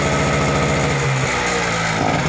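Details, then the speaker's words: Global-brand generator set that runs but gives no electrical output: runs fast with uneven beat, note dipping and wavering; only holds speed with throttle held high, drops back when lowered. "di dia bisa hidup tapi khasnya harus tinggi ya itu kasih rendah dia akan turun kembali ya tasnya harus kita tekan tinggi ini baru naik"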